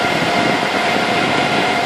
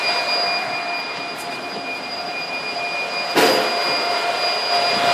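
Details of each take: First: Supermicro 2U server running normally after power supply replacement with the cable plugged in: a steady, even rush of fans with a faint constant tone and no alarm beeping. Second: Supermicro 2U server with replaced power supply inserted but cable unplugged: high steady beeping alarm over loud fan roar, red light on — redundant power supply has no power.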